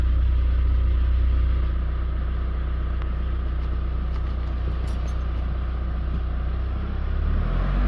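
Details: 2016 GMC Canyon 2.8L Duramax diesel after timing belt and water pump replacement, hot after test drive: steady, even low diesel rumble about four pulses a second, no knocks or misses; normal warm idle.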